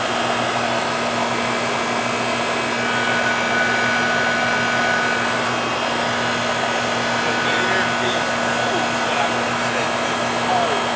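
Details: Trane AC condenser after refrigerant charging by subcooling (TXV system), owner had reported it humming and not cooling: constant low hum with airy fan rush, no rattles or squeals; running normally again, about 8.5 lb charge.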